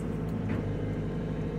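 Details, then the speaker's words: Gator power clamp log grapple on an excavator, after repair of the no-power, won't-rotate-under-load fault with both hydraulic hoses reconnected and bolts tightened: the pump responds with an even, steady low hydraulic drone, no surging or knocking, and the grapple rotates firmly and smoothly. "and i will tell you it works because it's not the first time happening and now you can hear the pump respond"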